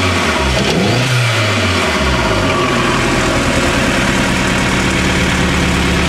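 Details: Nova Turbo engine catches, revs up and settles to a lumpy, uneven idle with a stumbling exhaust beat; misfire present.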